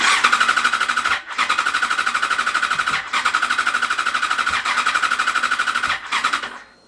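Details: Yamaha FZ6 Fazer S2 with replacement ECU, cranked after easy start sprayed into all throttle bodies: rapid, regular starter chugging in several bursts, almost catches but never runs; spark assumed present, owner suspects fuel problem or dirty, worn plugs.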